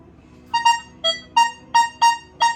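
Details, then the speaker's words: Metal detector (Nokta or Equinox class) in 4-tone mode, copper target: repeated short mid-high tones near 1 kHz, one chirp per sweep; copper sounds the same as silver in this mode. "Sama kan? So, kategori bila saya pilih 4 tone, tembaga dengan perak bunyi sama."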